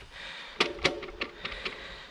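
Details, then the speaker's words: Husqvarna HC8 2021 e-MTB with Shimano EP8 mid-drive motor: bike dropped on its rear wheel gives a metallic sound then sharp hollow plastic clacks; the EP8 motor clutch rattling. "man hört vielleicht dieses klappern gehört einmal das metallische fähige und dann hört man so einen plastik klappern und das ist tatsächlich der motor also das ist dieses ep abklappern"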